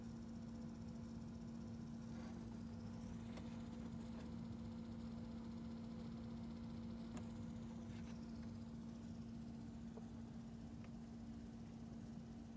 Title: Audi A5 Sportback Rattling Noise From Inside Cabin